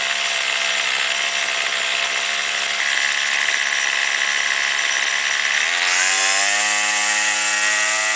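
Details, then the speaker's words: Warmed-up two-stroke weed trimmer, string out at cut line for load: shrill buzz whose pitch jumps and settles as the low-speed screw turns clockwise to lean bog, then counterclockwise to rich bog; set midway for highest, smoothest rpm, slightly rich. "when it's warmed up you start it let it idle and turn it clockwise until it starts bogging down a little bit and then turn it counterclockwise until it starts bogging down a little bit and then you want to set it in the middle where it's running at the highest and smoothest rpms"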